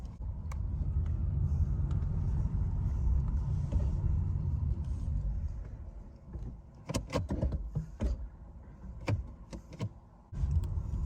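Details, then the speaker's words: 2018 Nissan Leaf after re-torquing the front axle nuts to 147.5 (clicking had come on brake-then-accelerate, especially with e-Pedal engaged/disengaged): steady test drive gives only road and tyre rumble, no clicking from the front axle. "the test drive shows no clicking sound"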